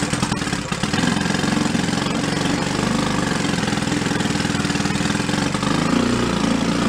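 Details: 1937 Sears Water Witch 2.5 hp two-stroke outboard, 83 years old, revived from a shed, main jet opened a little and slowed to a low idle; the air-fuel mix needs adjusting between high and low revs. A fast, even popping settles steadily with no misses or knocks: a clean idle.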